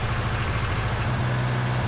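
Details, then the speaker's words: 1960 John Deere 1010 diesel after engine rebuild, idling before injection pump timing adjustment: harsh, uneven clatter with a lumpy low beat; pump timing was out, and correcting it made it run smoothly. "and here's after all you folks that commented it was the timing you were right on the money yes finally"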